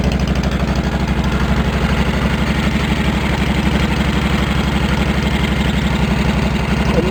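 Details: Cub Cadet 1650 four-wheel-drive build, open exhaust pipe with no baffle: hard, rapid popping about four per second, sharp and loud at idle; far too loud, owner plans to tame it with a baffle.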